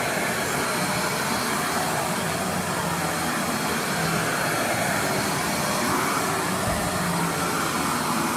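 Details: Riccar R25 vacuum running after the broken power cord was replaced. A steady, even motor roar with a smooth, airy rush and no surging, rattles or grinding: the vacuum motor sounds healthy.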